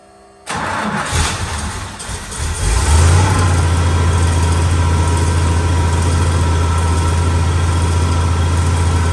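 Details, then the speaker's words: Split-window Corvette V8, unrun for a quarter century, fired with a jumped ignition, an electric fuel pump and a carburetor: brief crank, then a steady, even low idle with little clatter: normal idle after first start. "Sounds pretty good. Don't have too much clackety clack."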